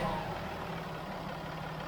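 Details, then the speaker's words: Jaguar XF 3.0d diesel after reseating a displaced part that was leaking air and whistling: steady even diesel idle with smooth clatter, whistle gone; normal idle. "come on listen aid it's complete noises completely gone there's nothing coming out there now so oh that's one little fix done"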